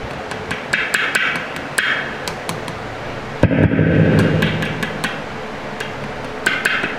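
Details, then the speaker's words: Epiphone Les Paul humbucker: tapping the pole pieces through the amp gives uneven knocks, some loud and others thin, because only one bobbin works. The cause was cut coil wires that were never soldered back. "One of the poles has come loose on this pickup's got to be one of the pole wires to one of the bobbins. So just one's working,"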